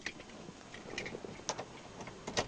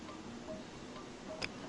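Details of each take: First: 2004 Jeep Cherokee, after replacing the sunroof motor with a $25 junkyard unit, headliner refitted, key on: clean, steady motor hum for about two seconds, no grinding or clicking; full function without calibration. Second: 2004 Jeep Cherokee sunroof that won't close, switch bypassed at the three-way connector: two faint sharp clicks with no motor whir; power reaches the unit but the sunroof motor is seized, later replaced.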